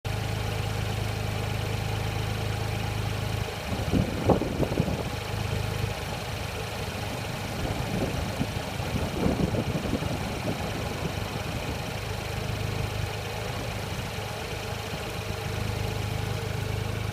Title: Powerflow exhaust leak